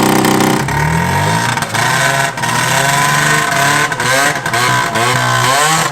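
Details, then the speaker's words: Vintage Yamaha two-stroke snowmobile with a small front exhaust leak, revving under throttle: loud, crisp revs with clean pickup and no misfire or stumble. Runs strong; normal running. "That damn thing runs better than either of the articats."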